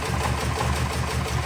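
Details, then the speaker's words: 1979 Porsche 924 started for the first time after sitting untouched a few years: choppy, loping idle about five beats a second, almost diesel-like, one cylinder seemingly missing; owner says it has a miss and needs a tune-up, coolant leaking. "I mean she's got a miss and she needs a tune-up. It's going to die, but"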